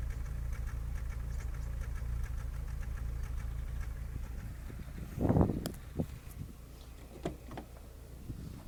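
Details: Škoda Fabia 1.4 MPI petrol engine at a low, uneven idle with a lumpy, stumbling beat; misfire at idle caused by a bad third-cylinder injector.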